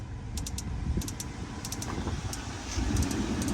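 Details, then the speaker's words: 2012 Audi Q5 cabin blower at high speed after replacing the blower motor and resistor: an even, steady rush of air with no whine, scrape or rattle. Normal blower at high speed. "So right now we're gonna try something else. The speeds. Now high speed."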